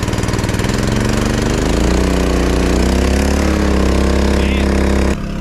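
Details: 1980 K Whopper picker truck fired up with the air compressor plugged in; the engine catches and settles into a steady, even fast idle with no knocking or stumbling; normal running.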